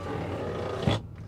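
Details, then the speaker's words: 2001 Ford F150 Stepside pickup at auction walk-around: strained, growling groan from a door as the power window glass travels, cutting off sharply; window motor labouring and protesting, other door fine. "I don't like that sound at all okay that one's fine but this door was just exacerbated by the thought of having to go up and down he is protesting he does protest"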